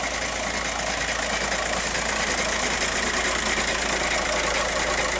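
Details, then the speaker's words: 2014 VW Jetta TDI diesel with almost 300,000 miles and new emissions-fix parts, idling with AC on: uneven, loping knock about two beats a second like a galloping horse from the dual mass flywheel. "This dual mass flywheel kind of sounds like a horse galloping."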